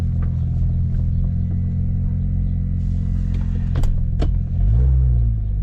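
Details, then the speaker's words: BMW 335i (N54) after coding the injectors with Pro Tools, following intermittent misfires on injectors 1, 2 and 3 (code 30BA); deep, steady, even idle with no breakups: normal idle, not yet tested under load. "so I just coded the injectors with Pro Tools it's running better no like breakups or anything it seems to be running fine"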